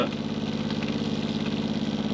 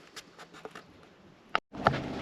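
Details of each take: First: Caravan water pump before noise reduction: a steady motor hum with a fast buzzy pulsing; water pump vibration noise. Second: Caravan water pump after mounting secured with rubber washers to cut vibration: click then steady low buzzing hum with fine even pulse, no rattle; noise reduced from about 57 to 48 dB; normal running.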